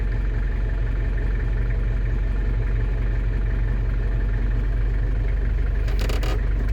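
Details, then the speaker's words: London Taxi diesel just started after glow plug light out, following automatic gearbox sump gasket renewal and fluid refill: smooth steady low rumble, no misses or knocks; normal idle. "Wait for the orange glow plug light to go out. And then first turn of the key, she's away. Perfect."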